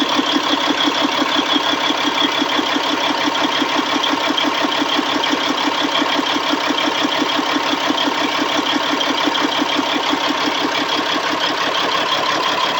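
Diesel idling with a hard, uneven pulse near three beats a second and a clattery edge; the idle is rough, cause unknown.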